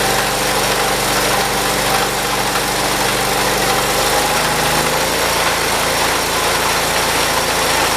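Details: 1978 John Deere 208 tractor, small single-cylinder engine after head gasket replacement and carburetor adjustment, throttled up: runs steadily then picks up speed midway without stumbling or missing; normal running.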